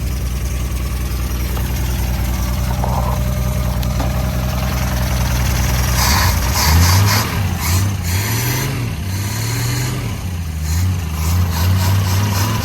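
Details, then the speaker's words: 1964 Ford Falcon station wagon, sat in a field 46 years with plugs out, first start with the original carburetor holding: steady idle with a few light revs rising and falling cleanly, holding idle on its own; oil still to be changed. "Yeah! Idling on its own, purring like a kitten. I'm not going to run it long because I want to change the oil."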